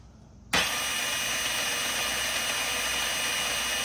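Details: Razor E100 scooter with its stock 24V hub motor, on a 20V Dewalt battery with a 12V relay in place of the bad throttle controller, bench-tested before reassembly. The motor spins up instantly to a steady hiss-and-whir with no grinding: healthy.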